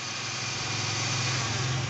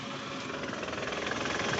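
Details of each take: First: Toyota Camry after balancer shaft replacement: smooth, even idle held above 1000 rpm because the idle has not been reset yet, with no knock or rattle. Balancer noise gone; a possible starter or automatic-transmission flywheel noise remains to be checked. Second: Toyota Camry engine before repair, shifted into R: dry, busy rattle over a rough idle with a low thump from a worn balancer shaft, and the engine mounting is loose and shaking; rattle stops in neutral. Balancer shaft and mounting to be replaced.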